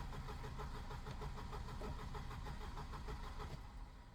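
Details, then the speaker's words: 1988 Volvo 240 after rebuild: fast, even cranking about three beats a second without dragging, strongest it has cranked, though it will not start; owner suspects insufficient fuel. Normal strong cranking. "It has never cranked that well before. Jesus Christ."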